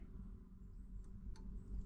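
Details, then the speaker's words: Marantz 6100 turntable after fixing motor start/stop popping, ground wire connected: low steady hum with only two faint soft ticks as the motor starts, no loud pop. "no pop there that's nice let's take it into the run out go back and there's the motor clicked off no pop"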